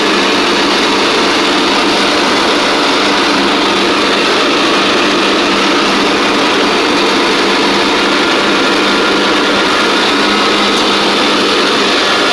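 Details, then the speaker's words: Craftsman DYT4000 riding mower: small engine holds a steady, even high-pitched drone with no surging or knocking; it charges the battery, drives, and blades work. Normal running. "so it's charging the battery it drives and the blades work work"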